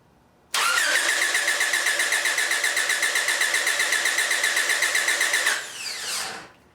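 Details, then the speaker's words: 1997 Honda Accord, no-crank fixed by a new starter; voltage drop on its power and ground sides tested within spec. Even, brisk cranking about four turns per second for five seconds, no catch, grinding or clicking: normal starter cranking. "the voltage drop on the power and ground side of the new starter is within spec and the engine's cranking again that's a fix"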